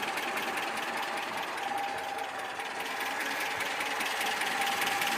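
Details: ZMZ 402 four-cylinder petrol engine, cold at idle about 550–600 rpm, oil pressure about 3.5: light fairly regular ticking knock roughly two or three a second; cause found as piston pin to connecting rod play in all 4 cylinders.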